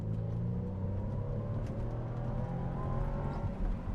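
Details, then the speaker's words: BMW Z4 after fixing misfire on hard acceleration by replacing a spark plug: engine pulling hard, smoothly to 6,000 rpm in second, then third gear to 4,000 rpm, no stumbles or misfires, no fault codes. "6,000 RPM. No misfire there. Yeah. Third gear, red line. Well, not red line, but 4,000 RPM. Beautiful. I think we fixed it."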